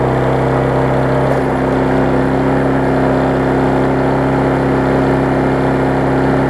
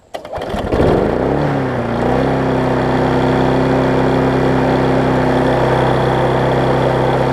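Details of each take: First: Husqvarna self-propelled mower after service and cleaning: steady, high-pitched even drone with no dips, held well above normal speed; engine overspeed because throttle set too high, to be turned back. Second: Husqvarna self-propelled mower after service and turning the throttle down a touch: catches, settles within two seconds and holds a smooth, even buzz with a steady note; normal running.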